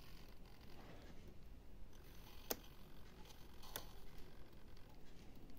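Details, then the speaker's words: Two sharp, isolated clicks about a second apart in a quiet room from the newly installed front and rear electric solenoid valves on a model sub, triggered by micro switches via transmitter; valves snapping open and shut normally. "Okay, so that's the first, the front valve, and there's the rear valve."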